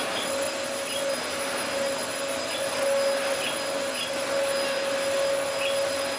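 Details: Early-2000s Dyson DC04 special edition vacuum, first run after reassembly: steady motor whir with a clear high tone, no rattle or surging; runs fine, suction acceptable, filters clean, brush roll not driven.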